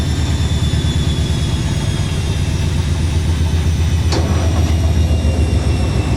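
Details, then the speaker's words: Washing machine at 1100 RPM fast spin has walked off level: heavy, deep rumbling and thumping with the cabinet shaking violently. The spin stays intense. "That was 1100 RPM. Oh, she's unleveled herself, that's what's happened. Whoa! Really intense."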